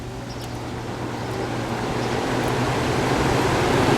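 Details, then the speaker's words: 1967 Chrysler Airtemp 6000 BTU window AC, model L06-72, after scraping heavy buildup off the clogged coil: steady air rush over low hum, fan running normally with improved airflow, before the compressor kicks on. "Alright, now we've got some airflow coming through here. It's a little bit better."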